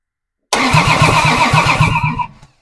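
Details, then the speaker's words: Plymouth Duster Slant Six, freshly installed, cranked via the starter relay contacts before a compression test; strong, even cranking at about five compression beats a second, stopping cleanly: good crank. "all right got good crank"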